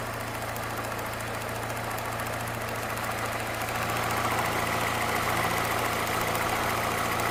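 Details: Peugeot 207 1.6 VTi at idle: light, fairly regular ticking, about three or four a second, apparently from the right side; source not yet identified.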